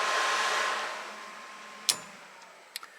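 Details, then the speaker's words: Jaguar E-Type Series 1 electric cooling fan, near a modern relay with a red indicator light that is probably for the fan: a steady airy rush that slowly fades, then a few sharp clicks; the fan is running normally. "there's a modern relay it must be for my fan and you can see here see the little red light you can hear it out there working"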